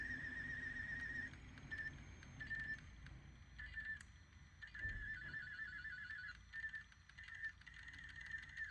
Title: Marantz CD-65 II SE - Squealing noise with burned CD-R.